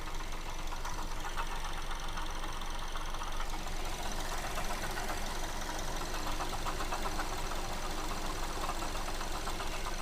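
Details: Mazda2 petrol engine idling with a light, regular tapping about twice a second, heard clearly from the alternator side. The belt tensioner roller wobbles left and right; a water pump is suspected and the belt needs attention, cause not confirmed.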